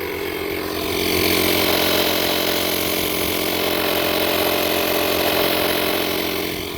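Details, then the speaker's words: Automatic tire inflator on first use, filling a car tire at about 30 psi (reaching 32-33 later): steady buzzing piston pump chattering about three to four strokes a second, labouring and audibly slowing as pressure climbs; owner doubts it could reach 50 psi. "We're up to 30 pounds. It sounds like it's gotten slower."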